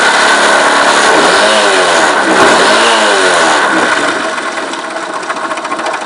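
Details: Viper Active engine buzzing and revving with a quick, fairly even tick-knock about three to four per second; the source of the knocking is unclear.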